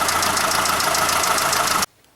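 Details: Mitsubishi Space Star 1.6, 4G18 engine at idle with slight misfire: quick, even light tapping, about seven to eight a second, under the valve cover, first suspected hydraulic lifters or rockers; found to be a worn camshaft with pitted, spalled roller.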